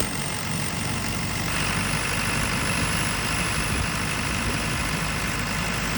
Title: JCB 220 ecomax misfiring